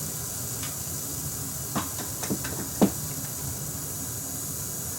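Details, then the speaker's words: Akai 4000DS MK2 reel-to-reel: a steady high hiss on the left channel under handling clicks; noise goes away as suspect amplifier transistors are heated, suggesting two may be failing. "now this channel is getting noisy I believe it's this one here this one and that one I think those are the two that are giving us our trouble"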